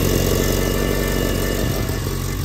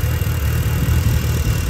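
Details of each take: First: Mitsubishi Evo 8 RS 4G63 turbo petrol on first cold start after three days, idling with a rough, puffing exhaust leak at the top of the manifold flange, where the gasket is blown out. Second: Mitsubishi Evo 8 RS 4G63 after new spark plugs, valve cover bolts retightened: steady, even low idle rumble with no ticking or exhaust puffing; runs nicely and healthy.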